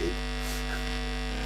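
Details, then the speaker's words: Vintage Omnitron turntable into a Numark mixer, 50 Hz mains: constant low buzzy hum at steady pitch with the turntable ground wire disconnected; connecting it to the mixer's ground screw removes the noise. "hear it 50 hertz noise and it's impossible to use turntable with this distance but if i ground it to this ground screw and this ground screw should be on the all mixers or if you will connected to the amplifier the most of not bad amplifiers have this ground screw connected no noise disconnected corrected disconnected"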